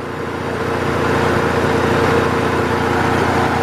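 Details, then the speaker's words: 1997 Saturn SL1 1.9 after A/C compressor replacement, recharging an empty system with freon: compressor engaged and barely audible under a steady, even idle, no knock, rattle or squeal, cool air coming out; normal compressor operation. "AC the compressor's on you don't even hear it it's a good"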